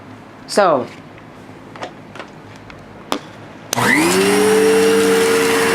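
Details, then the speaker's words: Vacuum cleaner after fitting a possibly ill-fitting belt: a few clicks then the motor spins to a steady high whine with rough hiss; works and sounds better than before but still not right. "so that does not exactly sound the greatest so even if the belt doesn't necessarily fit it does work"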